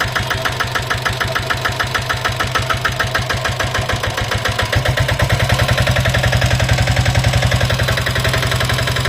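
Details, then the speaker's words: Royal Enfield diesel Bullet (Greaves/Lombardini diesel) at idle before engine rebuild: a steady hollow tak-tak-tak at just over two knocks a second, tied to engine speed. Piston slap from a worn piston or cylinder liner/sleeve. "ये जो sound आप सुन रहे हो टक टक टक टक टक आवाज ये है अपना पिस्टल लाइटिंग का आवाज है ये क्या है कि आपका जो पिस्टन है वो थोड़ा गिस चुका है या पिस्टन वल घिस चुका है उसकी वजह से यह साउंड आ रहा है"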